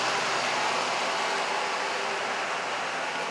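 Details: 2003 Mercedes-Benz idling after vacuum leaks repaired and throttle body cleaned: even, smooth engine note with no hunting or stumbling, idle steady and healthy.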